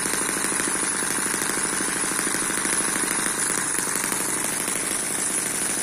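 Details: Eachine EM1 (same as M14) four-stroke opposed double-piston mini engine at steady low speed, not intended for high speed. Fast, even ticking patter like a sewing machine, with no knocks or misses. Very smooth normal running.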